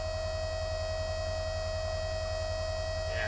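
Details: Harbor Freight Drummond 12V self-priming transfer pump (items 63324/63317, up to 320 GPH) pumping ditch water with strong pressure to about 30-40 feet: constant smooth motor hum, steady pitch, no rattles or surging; healthy under load.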